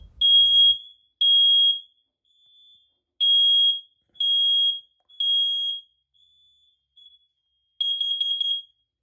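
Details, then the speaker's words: Hardwired First Alert smoke alarm with a 9 V backup battery, test button held after a battery change: loud high beeps in groups of three, with fainter beeps from linked alarms; normal test pattern. "To finish, you always want to test it. So, push the button and hold it. It will beep."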